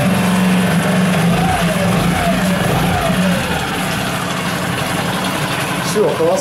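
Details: New Yamaha 4-stroke 5hp (6hp) outboard on its first start from an external tank, at idle. Smooth, even low steady hum with no ticking or rattle. No extraneous sounds; normal idle.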